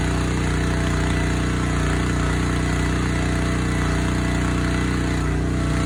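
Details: Honda GX160 engine on a Splitfire wood splitter, previously bogging and stalling under load, after carburetor cleaning, jet check and oil change: steady, even thumping at constant speed with no hunting or surging, running normally.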